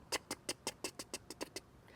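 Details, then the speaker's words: RV fifth-wheel trailer refrigerator on LP gas, 12 V battery electronic igniter behind the rear fridge cover: sharp dry clicks about six per second with no burner whoosh; no gas reaching the burner, with a faulty LP regulator suspected. "it tries really hard to light the gas if you hear that clicking and then stop and then clicking and then stop it means that there's a problem with gas getting to the refrigerator"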